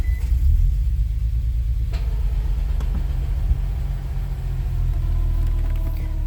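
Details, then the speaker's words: Nissan 370Z Nismo with long-crank complaint, running with fuel pressure gauge showing no pressure and very short pump cycles: deep, uneven rumble with unsteady beat; runs rough, possibly low fuel pressure or faulty gauge. "So it's running, but you can tell it's not running great."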